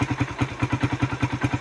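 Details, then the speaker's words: Suzuki Raider single-cylinder after timing chain tensioner, chain and sprocket adjustment and a fix at the compression release instead of replacing the camshafts: regular, even thumping of about seven beats a second when revved, and the former clatter is gone. "Dati pag ni-reb ninyo o pag ni-reb ko lumalagatak guys. May lagatak. Ayan. Wala walang lagatak. Wala na siyang lagatak."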